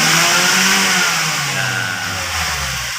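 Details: Ford Escape that had low power and hard starting, with a fuel pump replacement involved: engine pitch climbs cleanly and falls back smoothly with no stumble or hesitation. It revs normally.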